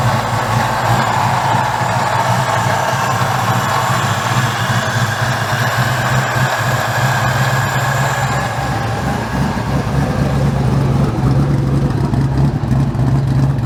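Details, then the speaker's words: 2003 Mustang GT after a 4-valve engine swap with new mufflers: loud V8 with a lumpy, uneven low rumble, running rough; owner suspects a connector or wiring issue, and there is also an unlocated water leak. "we have a water leak somewhere didn't check that but cars running a bit rough um we still have i think a connector issue or wiring issue"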